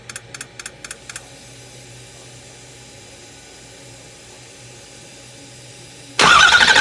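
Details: Ford 6.0 crank no start: a quick run of sharp injector clicks, a long quiet gap, then a loud burst of cranking that never catches.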